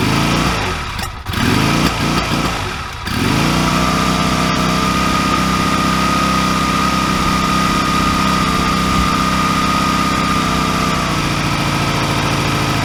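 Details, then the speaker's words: 2002 Honda Rebel 250 (CMX250C), 1,888 miles, long unused, dead battery, jump-started: after stumbling cranks it catches to a busy, slightly uneven idle; rough running, gummed carburetor suspected, needs cleaning. "So it needs some work, not the least of which is a good carburetor cleaning. So we're going to work on that today, but I'm going to start it up and let you hear how it's running now."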